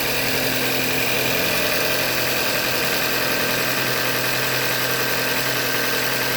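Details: 2015 Hyundai Elantra Limited, 91,000 km, idling: rapid, uneven tapping about three to four knocks per second over the idle, engine knock from short block failure, a Hyundai manufacturing defect.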